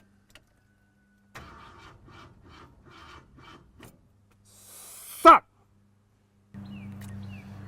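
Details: Ford F100 bumpside with worn 390 FE V8, hot restart after heat soak: uneven cranking bursts, a pause and click, then catches to a rough idle; tried points, condenser, plugs and coil; needs more tuning.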